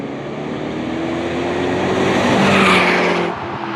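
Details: 2005 BMW 545i V8 with a cheap aftermarket muffler replacing the factory flapped muffler: deep, even drone swelling as revs climb and easing back, no rattles or blowing; normal exhaust note.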